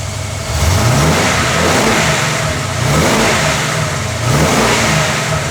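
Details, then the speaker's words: Ford AU XR8 V8 with aftermarket cam: idle uneven and lumpy between throttle blips, no outright misfire, whole car shaking; two disconnected sensor plugs found, wobbled and reconnected, causing rough idle. "Something's not right. It's idling really bad. It's idling very bad. The whole car's going."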